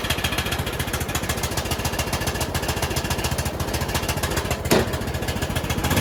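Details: Bolens rider mower single-cylinder engine after carburettor work, parking brake set: loud, raspy, ragged chuffing about three to four beats a second; owner suspects an exhaust leak.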